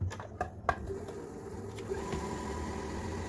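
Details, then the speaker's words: Kenmore 385.19550 computerized sewing machine after lubricating and greasing, test run before reassembly: a few clicks at start, then a soft even whirr with no knock or rattle; previous noise almost gone, normal running. "you can hear the noise it's almost completely gone and that's a good great thing about doing lubricant grease everything"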